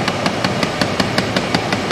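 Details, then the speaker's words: 2010 Chrysler Town and Country minivan: rapid, evenly spaced clicks, five or six a second, from behind the dash. A blend door actuator is skipping at its end stop, which the customer had thought was the cabin fan. The actuator was replaced. "but let's see if i can get to do it here again so that's a blend door somewhere"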